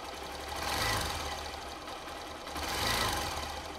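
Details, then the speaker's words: Hero Xpulse 200 ticking noise that began after the engine overheated while stuck in sand: a light metallic tick over the idle that swells and fades. Owner suspects the valves; cause not found. "after recent let's just say off-roading adventure or should i say miss adventure i got the x-pulse stuck in some sand the engine overheated very quickly and from then i started having the valve noise it is quite concerning"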